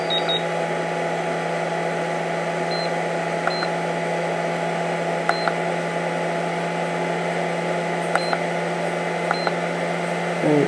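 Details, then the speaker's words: RC battery charger balance-charging a LiPo at 7 amps from a 12 V DC, 1300 W power supply: steady, even fan hum of constant pitch; the charger's own cooling fan is loud, not the power supply fan. "this charger Fan's a little loud so that fan you're hearing is actually this fan it's not that one"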